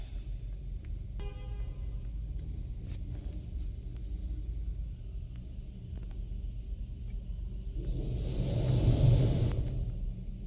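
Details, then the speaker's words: Chevy Trailblazer after coolant valve replacement (codes P3075, P0198, P0128): electric coolant pump priming via a scan tool learn function, with cap off and system full; low steady hum, short tone, then a rising gurgling whoosh of coolant. Normal. "So you're gonna hear the thing make a funny noise, like it's pushing coolant out, suck coolant in. That's the whole point of it."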